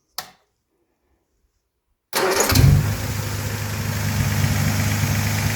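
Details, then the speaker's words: Armstrong Siddeley Star Sapphire special, first running in probably over 40 years, after much adjustment: starter catches, engine flares then settles into a fairly even idle with no tappet clatter. Not perfect but good. Oil leak still to fix. "we're going to take that as a win. It's not right, perfect, but bloody good."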